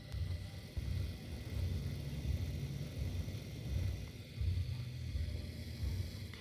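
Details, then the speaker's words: Terra 5000 V3 (1009545) mini PC, recorded close up with a phone microphone. The fans give a low, uneven rushing rumble with a loose rattle, a bearing failure that adding grease did not fix. Owner considers fitting new ball bearings. "man hört so ein bisschen so komisch Rauschen und wegen Rasseln ja da muss ich definitiv entweder entweder mal versucht die Lüfte zu reparieren dass man indem man vielleicht versucht ob man da zwei neue Kugellager einbauen kan"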